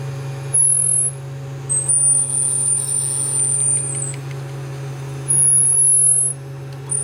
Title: Qidi I-Fast 3d printer making Squeaking noise when moving side to side